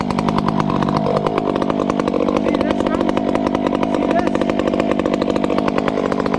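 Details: 500 chainsaw with a hand-filed chain cutting small wood under load: a high, steady scream holding pitch with only slight four-stroking burble. Acceptable, healthy running.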